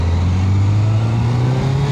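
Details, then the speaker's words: Suzuki GSX-R1000 K1 ridden home from MOT: deep steady engine drone under road noise going through the gears, pulling smoothly and punchy with no knocks, misses or rattles; normal running. "oh that's going through the gears nice"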